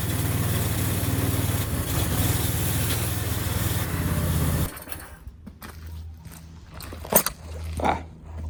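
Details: Qualcast Classic Petrol 35S cylinder mower on a cheap Chinese replacement carburettor, main jet adjusted: engine drones unevenly about five seconds with a wavering beat, then cuts down sharply; runs but rough.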